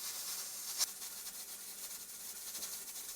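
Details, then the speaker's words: Traditional stovetop pressure canner after heat turned down to 4: steady continuous steam hiss, weight still jiggling constantly but starting to quiet; still slightly over pressure. "I don't know if you can tell but it is starting to quiet down and it is starting to not jiggle quite as much but we are still not at that sweet spot yet"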